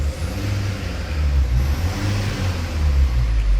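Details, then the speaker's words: Mercedes Sprinter diesel van after injector replacement and coding, oil changed; low, even drone swelling gently with throttle, no misfire or stumble, a lot smoother than before; smooth diesel running. "the blocks it's a lot smoother"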